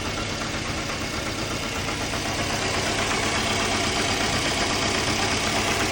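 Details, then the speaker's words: 2008 Scion xB 2.4L with hissy idle misfire and shaking that clear when revved; new plugs, coils and fuel pump, AC compressor bypassed without fix, car now stalls at idle; misfire from leaking fuel injector seals, confirmed fix. "when I gas it up the shaking goes away and the misfire goes away but at idle it misfires sounds like a vacuum leak but I have no idea"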